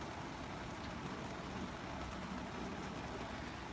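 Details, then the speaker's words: 60-year-old army mountain stove, owned since 1972, pumped-up burner heating a tin cup of water: steady, even hissing roar with no sputter or surging, running properly. "this thing is unbelievable like how I still to this day can't believe how fast it'll it'll warm water"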